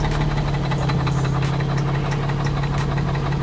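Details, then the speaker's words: Car at idle: steady hum with a light, regular tapping knock. Sounds like the motor, but the owner suspects the transmission or torque converter, not confirmed; a replacement transmission is ready. "oh that knocking noise it sounds like the motor but i think it's a transmission making that noise"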